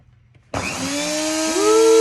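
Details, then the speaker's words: NutriBullet blender motor after home repair, bench-tested while partly disassembled: spins up in half a second to a strong steady hum with a rising whine that settles, smooth and even; motor fixed and running normally. "I fixed it, baby. Ooh, that blows a lot of air. If anything, I'll take that to the ballpark as a fan. Got it, baby. Got it. Yeah, listen to that humming."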